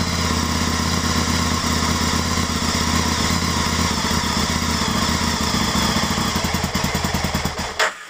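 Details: 2003 Aprilia Tuono Fighter V-twin after a temporary fix to a corroded fuel pump connector so the pump now primes; it starts but idles lumpy and uneven, getting ragged before dying, suspected fuelling issues.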